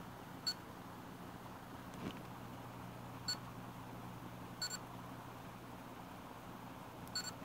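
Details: HP Pavilion dv7-2206TX laptop, a few weeks old: short high-pitched chirps at irregular intervals over a faint hum, not from the speakers, even after overnight sleep; cause was the failing hard drive, fixed by replacement.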